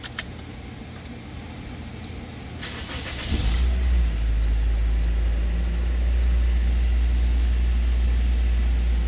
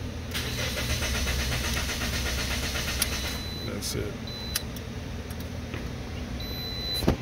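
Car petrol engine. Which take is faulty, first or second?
second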